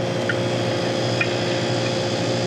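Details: Self-contained beer cooler with Kaiser Warner R22 compressor section, complaint of water-drip noise: steady unit hum with faint spaced plinks; cause not yet pinned down.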